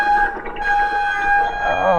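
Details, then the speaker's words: Loud steady high-pitched squeal from the full hydraulic rear disc brake on a Stunner X e-bike, wavering and dropping in pitch as it stops; the squealing makes the bike unrideable. Pads and disc cleaner were later tried as fixes. "it is horrible horrible horrible squealing out of these brakes these are full hydraulic brakes"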